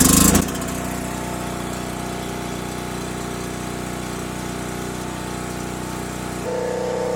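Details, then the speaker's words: Harbor Freight Predator 4375 pull-start gas generator started with fuel valve on and choke set: the cord pull catches and the engine settles into a steady, even drone with no knocks or surging, which is normal running. "So let's pull it and see what happens here. Okay, it's started up."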